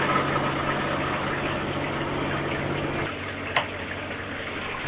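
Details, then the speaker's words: Campervan recirculating shower loop pump switched on with the shower; steady low electric hum under rushing water settling as flow builds and water comes up, circulating normally. "Okay. Recirculating pump is on. I can hear it. Oh, water is coming up."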